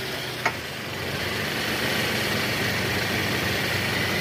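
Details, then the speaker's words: Toyota Camry after replacing the worn balancer shaft without removing the engine: idles in R with throttle applied with a smooth, even hum; the earlier rough engine noise in R is gone. "Suara mesinnya tidak kasar lagi."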